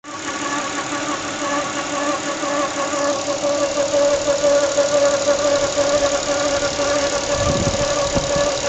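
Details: 1996 Nissan Stagea 25X with RB25DE engine: thin mid-pitched rhythmic whine pulsing about twice a second over the idle hum; source still being diagnosed.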